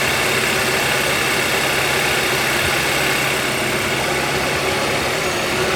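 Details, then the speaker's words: 2013 Kia Rio engine idling after the alternator was replaced and the belt refitted, first start after a battery disconnect so it must relearn. Smooth, even idle with a steady hum; the earlier alternator rattle is gone and charging reads about 14 volts. "this will run a little a little funky it's got to relearn I've had the battery disconnect noise is gone"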